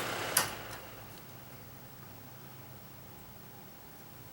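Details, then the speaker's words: Kaz V3100 evaporative humidifier after reassembly: the fan settles into a quiet, even low-speed hum with no rumble, so this is normal running; the earlier low-speed rumble came from a broken fan-motor mounting stud. "slow speed no rumbling so we had a false alarm there i guess"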